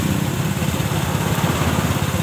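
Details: Yamaha Mio Sporty scooter, complaint of weak pull and belt slip noise at the CVT, after CVT service and reassembly: steady low putter at idle, even with no slipping or rattling; idles normally.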